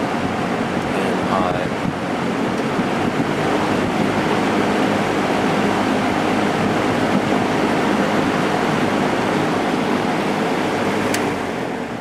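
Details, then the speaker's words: JCPenney 9711 Lakewood three-speed box fan, 3.1 amp GE motor, after long run drawing 1.5 amps on low: steady whooshing air with low even hum on medium, no ticking or scraping; running normally. "I went upstairs to go eat dinner and I left this fan running and it seems to be running just fine on low 1.5 amps"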